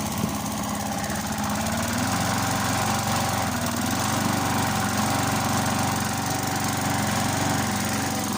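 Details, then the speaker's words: Briggs & Stratton 3.75hp Sprinter mower, restored, first start after a year's storage, cold, at full throttle: small single-cylinder thrums steadily with an even firing beat, no misses or knocks; healthy running. "Just a bit cold. I let her warm up. It sounds very well."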